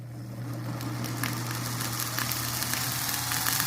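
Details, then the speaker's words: Antique Jeannin repulsion-start induction-run motor, salvaged: steady low hum with irregular crackling and rising hiss from arcing brushes during start, turning quiet once it reaches induction mode. "See, there's some arcing in those brushes."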